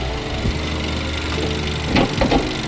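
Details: 10th gen Honda Accord, P0087 fuel rail pressure too low and extended crank, after replacing the high-pressure fuel pump with a faulty spill valve: steady, even idle, smooth low hum, only a couple of brief bumps; normal idle.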